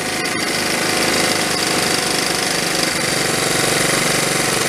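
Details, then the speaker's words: 1974 Honda Z50 monkey bike, restored but never run: idle wanders and runs up on its own, hunting uneven beat; spraying carb cleaner changes it, revealing an intake air leak at the carb intake (O-ring present, no gasket on other side). "so that's what it's got an intake leak right there as soon as I spray it"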